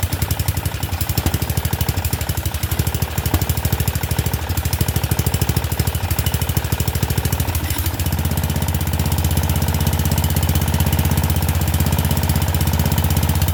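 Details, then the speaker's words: Murray Select 30-inch riding mower, just started, air filter off: loud uneven thumping about three beats a second, firming and steadying halfway; running rough, not the greatest. "But at least it runs. Not the greatest, but it runs."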